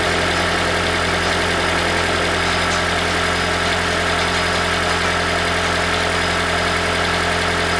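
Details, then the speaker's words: 2012 Toyota Prius v (ZVW40R) 1.8 L 2ZR-FXE hybrid, automatic, idling: thin metallic buzz and rattle from a loose exhaust heat shield with worn metal washers, a common fault. "so we found the rattle this is common problem in the the psv model so they're coming exhaust shield uh top off in the exhaust see that one making rattle"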